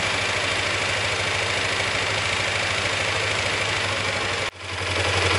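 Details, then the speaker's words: Motorcycle at idle after repair work: the earlier metal knocking is gone but an even idle still carries a noisy metallic-sounding clatter, about 230 per minute, following engine speed; worn balancer gears rattling. "Jadi seperti yang teman-teman dengar tadi, setelah ngerjain beberapa lama untuk motornya, ternyata masih ada bunyi berisik dan itu bukan dari metal."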